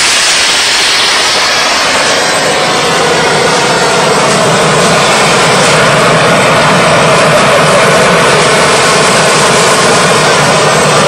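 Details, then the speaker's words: DIY gas jet turbine go-kart built around a turbocharger, diesel-fuelled afterburner, idle about 22000 rpm: steady even roar with high airy hiss, no pulsing throb; normal healthy running. "that's why with a jet engine it's just you just get a continuous noise you don't get the throb like you do with a uh there another word throb like you do with a uh um internal combustion engine"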